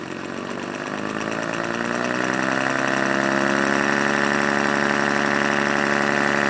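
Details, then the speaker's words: Homemade rotary vane air compressor, temporarily assembled and spun on a drill press at about 300 RPM, well below its working speed: a steady whirring hum with an even rhythmic pulse once the vanes engage, running smoothly. "That was actually nowhere near the speed it will be rotating when in use, but it's about 300 RPM"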